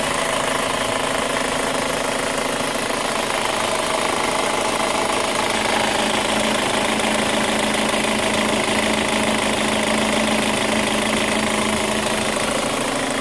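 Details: 2005 Chevy Cobalt LS 2.2L with a P0304 cylinder 4 misfire code, idling: a light, quick tick of about three a second over the hum; the owner locates it at the exhaust or intake cam, not down low, and suspects a lifter, unconfirmed.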